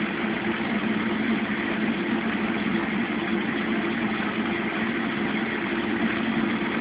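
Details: Mueller Special Brazilian washer, cold-fill-only machine that heats water itself, duvet load on 60°C wash with extra rinse, start of cycle: steady even rush of water, no knocks or squeals; normal cold fill.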